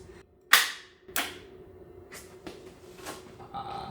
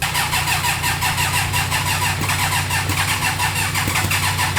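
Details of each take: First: Rebuilt 300hp turbo GSXR motor in a 6x6 mini jeep, cranked by bypassing the starter relay: two loud, sharp bangs about half a second apart, then softer irregular knocks; cause unclear. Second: Rebuilt turbo GSXR motorcycle engine (about 300hp) in a 6x6 mini Jeep, first start with fuel system and turbo oil drain not fully connected: quick even firing, steady idle, faint whistle; sounds healthy.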